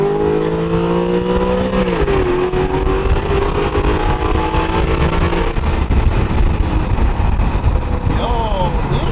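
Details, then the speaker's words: Coyote V8-swapped New Edge Terminator Cobra Mustang, test drive at hard acceleration: clean rising howl, crisp upshift at unknown rpm, pulls again without stumbling; engine and transmission healthy. "oh so fast this is like a rips and it sounds so good oh wow oh i think we could make it a little bit louder but wow damn i like this"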